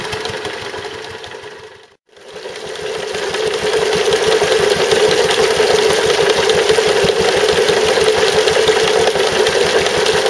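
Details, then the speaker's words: Stuart Turner water pump after replacing the failed big end bearing; steady run with a regular light knock about 2.5 per second under mechanical clatter, noise much reduced, remaining knock unexplained; owner wonders if it is a valve. "substantially reduced the amount of noise it was making, so the big end had obviously gone, but I can't work out what the other noise is. I wonder if it could be one of the valves making a noise."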